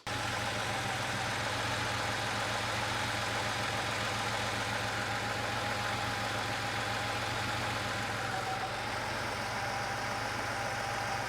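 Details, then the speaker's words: Porsche 911 Carrera flat-six at first start after an engine teardown and cylinder head rebuild, fitted in the car; it idles lumpy and uneven, missing on one cylinder because the long-sat, clogged number 5 fuel injector isn't firing. "It's running, but it sounds like it's not running on all the cylinders. And I listened to the fuel injectors, and sure enough, number 5 is not firing."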